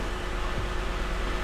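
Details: Lexus GX 460 idling after replacing a cracked spark plug seal that let oil into the cylinder 2 plug well and caused a misfire; steady, even low hum with no stumble, miss or knock, and no check engine light after 5 minutes.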